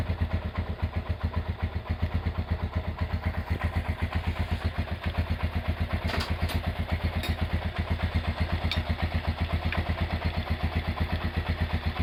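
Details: Honda GL100 single-cylinder engine after rebuild with new Aspira piston and CDI ignition, valve clearance 0.10: even steady thump about four a second, no clatter or misses; smooth healthy idle.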